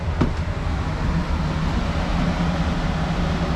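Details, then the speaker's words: Old Rheem forced-air gas furnace after replacing the seized, overheated blower motor and fixing transformer and thermostat faults: a strong, steady low rush of air with no knocks or squeals. The new blower runs smooth and healthy, much better than before. "you can even hear it blowing in there come here feel this now yeah that's better that's nice"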